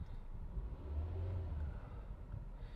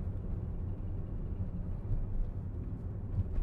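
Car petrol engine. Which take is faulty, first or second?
second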